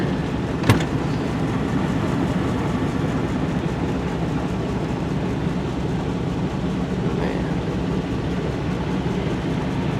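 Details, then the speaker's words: Old GMC pickup, odometer 238,000 miles, before scrapping: steady, even V8 rumble through a loud exhaust, no knocks or misses; engine running healthy. "old truck sounds are just running good"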